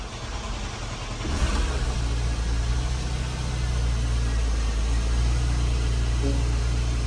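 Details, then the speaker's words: Porsche Panamera 970 (2010-16, 3.6/4.8) just after high-pressure fuel pump replacement, 90 PSI fuel pressure, first start: catches cleanly and settles into a smooth raised cold idle with a deep even hum, no knock or misfire, expected to drop once warm. "It's idling up right now until it warms up. It'll push some air past everything. I'd imagine it'll come back down."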